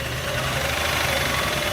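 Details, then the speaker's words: 2003 Jeep Liberty V6, hard to start, needs throttle; rough idle with a fast steady knock and uneven beat, running on four or five cylinders. Engine to be swapped out, may be rebuildable. Engine knocking at idle, cause unknown. "as you can hear it is knocking it's barely running it's running on four cylinders or five cylinders right now it's a v6"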